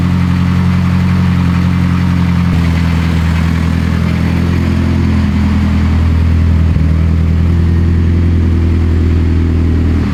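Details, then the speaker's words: Rebuilt 800 WHP Mitsubishi Evo X, first start after the build, with 21 psi oil pressure, not yet at operating temperature: a smooth, even low idle with a soft exhaust note and no ticks or knocks. Normal, very quiet idle. "This car is very, very quiet. This thing is so quiet."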